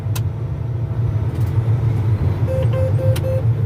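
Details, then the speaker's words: Combine in wheat field, low idle with separator engaged: four short even mid-pitched beeps over steady low engine rumble; chopper speed warning because the straw chopper was raised while still engaged to spin. "Basically, you can't have the straw chopper raised with it engaged where it's going to spin. And I just raised it so I could get in there. I didn't disengage it from spinning, so just put it back down."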